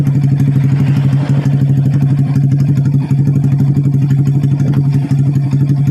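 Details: Vega R motorcycle bored up with an oversize 450 Kawasaki Kaze piston, idling with the exhaust refitted after a part was replaced: steady, even low thump with no rattle or roughness. The earlier smoking and rough sound are cured.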